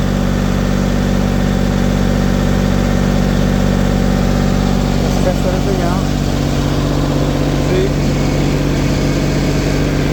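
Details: LeeBoy 1000 paver diesel (with DPF) after fuel-system priming repair for starting then shutting down: steady, even drone with a smooth low rumble, no knocks, misses or hunting. About 2000 rpm, water temperature 80, no codes. Normal idle.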